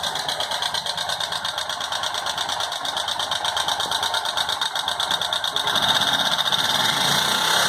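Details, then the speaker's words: Motorcycle engine with a fast, steady metallic ticking over the running engine that picks up slightly as revs rise; no smoke, valves already adjusted and all settings done, yet the abnormal noise persists, cause unclear. "com um barulho estranho no motor. O que pode ser? Vamos escutar aí para ter uma ideia."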